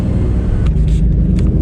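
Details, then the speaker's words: Turbocharged stock HR engine car, over-boosting to about 20 psi, running: coarse raspy rumble from a bad exhaust leak at the headers-to-turbo piping; intercooler piping also has a hole, and boost comes on late. "i don't know if you guys can hear this exhaust leak but listen to it so bad"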